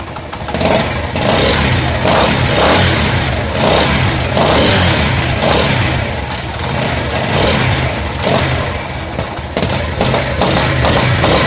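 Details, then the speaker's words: Motorcycle engine revving with uneven popping and thumping, sharper as throttle opens; head gasket leaking compression and pressure. "यहां पर scan तरह gas kit होती है अब मैं ज्यादातर ऐसी गैस कटर के सर्वर है तो यह वास करते हैं ठीक है तो कि यह गैस किट ज्यादातर और खराब हो जाए तो आवाज करता है और प्रेशर लिए करता है"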